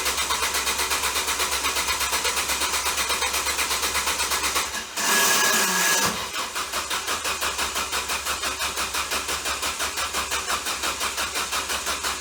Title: Ford Focus bad Starter short from burning up